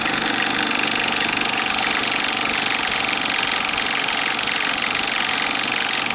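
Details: Bell & Howell 2575 16mm Filmosound projector in rewind with resistance applied, lamp on: fast, even mechanical chatter under load yet holding its own; faulty nylon gears (lower sprocket drive and worm gear) that could let go.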